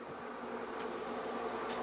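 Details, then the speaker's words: Old bathroom exhaust fan on a small 3-4 inch vent: loud, even whirring drone with a buzzy edge, like a propeller; very noisy and it lacks suction, holding only three or four squares of toilet paper. "very noisy these fans almost sound like an airplane propeller taking off and they do not have the required suction"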